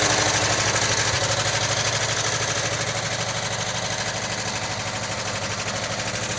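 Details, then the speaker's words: 1979 Volkswagen Westfalia with rebuilt engine and new Porsche hydraulic lifters, after cold start: lifter ticking much reduced, fast even light clatter about three beats a second over a steady idle like a sewing machine; normal. "a lot of air still hear the ticking bud nowhere near as bad as when it first started and now it's sounding more and more just like a sewing machine"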